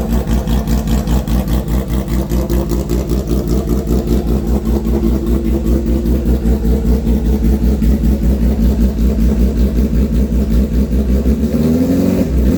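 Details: Custom 400 HP street motorcycle build, fired up with light throttle only: deep, steady throb with even firing pulses, then a brief clean rise in revs; motor runs strong and healthy.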